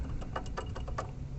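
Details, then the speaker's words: Fiat Idea with a GM Chevrolet engine, water pump shaft turned by hand: dry irregular ticking and scraping from a loose, rough shaft; worn pump bearing, a chronic fault on this engine, causing coolant leak and risking timing belt damage. "Em gira, ó. Aí faz esse barulho aí, ó. Aí o que acontece? Por conta dessa folga aqui, vai vazar água, né?"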